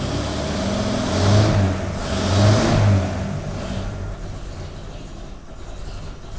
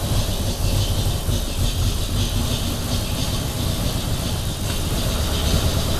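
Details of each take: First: 1932 Nash 990 Series straight-eight after tune-up with new points, not yet warmed up: even idle with quick clean blips settling straight back, no misses; idles much better than before. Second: 1932 Nash 990 Series straight-eight with dual-point distributor and 16 plugs, during tune-up with new points, started on the left bank only: uneven, lumpy chugging at idle; running rough, cause not yet found, to be smoothed before fitting right bank.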